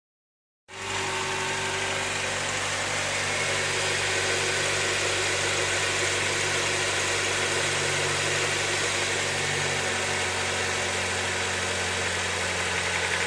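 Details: Honda Accord 8th generation at 63,000 mileage: engine fires up and idles with a fast, fairly even ticking knock about four per second over a hissy idle; engine knock, source not pinned down.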